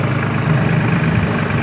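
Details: Rebuilt center console boat with a 2020 Suzuki 250 outboard, first run after rebuild: smooth, even low rumble with no misses, knocks or surging; motor running cleanly.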